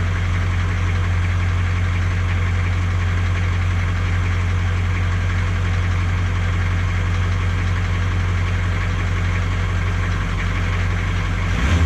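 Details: 1982 K20 Suburban diesel 4WD 3/4 ton, cold start after sitting 3+ years: it idles steadily with a heavy low rumble and uneven clatter over it. It sounds like valve clatter, cause unconfirmed; the previous owner suspected a blown head gasket.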